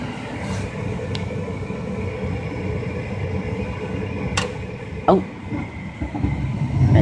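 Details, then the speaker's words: 2005 Lennox Elite series 90,000 BTU gas furnace startup: steady draft inducer rumble, then a soft whoosh and thump about five seconds in as burners light and settle into an even roar; normal ignition. "goes the burners all right there's a little burners this is already getting a little hot"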